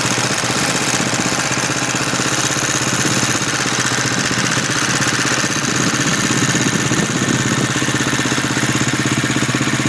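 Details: 2011 Husqvarna TE630 at idle with a busy, whirring, blender-like mechanical clatter over the thump, started at under 100 miles; owner asks if normal, cause unknown; abnormal engine noise at idle.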